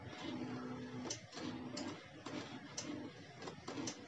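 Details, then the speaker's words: Honda Beat eSP scooter: starter whirrs in short, feeble bursts about every half second and never catches. It fires at once on the kick starter; the battery is too weak. "Ini teman-teman kita nyalakan ya, dia nggak mau ya, dia cuma gitu"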